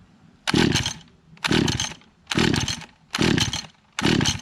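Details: Echo GT-200R two-stroke trimmer with a replaced magneto, on ethanol-free fuel, first start after six months of sitting with the choke position uncertain. It surges in loud bursts about once a second and never holds steady speed; cause unconfirmed.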